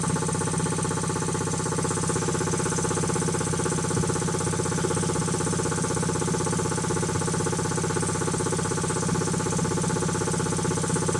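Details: Quincy QT-5 (QT5) compressor pump, first run after rebuild: steady, even pumping beat about four strokes a second with a clean hum and no knocks; runs healthy.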